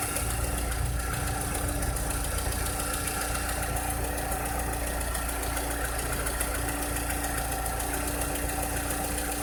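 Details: 2006-2007 VW SpaceFox engine with a strange noise: idle carries an uneven tapping of roughly three or four beats a second over a faint steady hum; abnormal engine noise at idle, cause unclear.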